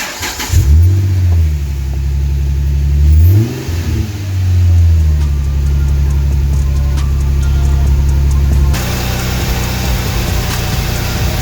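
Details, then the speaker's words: 2008 Dodge Charger 2.7L V6 after repair of a P0302 cylinder 2 misfire and clearing of codes; the engine catches quickly, revs cleanly up and down twice, then holds a smooth, even idle with no stumble or miss. "Sounds a lot better."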